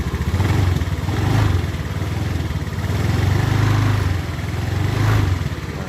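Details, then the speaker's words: Honda Beat ESP scooter CVT after repair (bearing replaced, groove and ring added to stop the bearing spinning, gear oil refilled): smooth drone with throttle blips and no more crackling rattle; transmission fine. "Habis kita ganti semua tadi habis kalian masukin oli gardannya dan sekarang udah nggak bunyi kretek kretek lagi ya"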